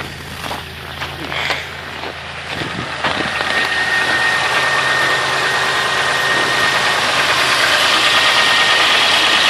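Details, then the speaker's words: 3.1/3.4 V6, 2–3 weeks after a head gasket job, with a flashing check-engine light and codes for cylinder 6 injector circuit open and cylinder 6 misfire (P0306). The idle runs rough and stumbles about three times a second under hiss; single-cylinder misfire. "So, as I check the codes right now, we got a cylinder 6 injector circuit open and a cylinder 6 misfire detected. So, I'm going to start it up real quick. Running kind of rough."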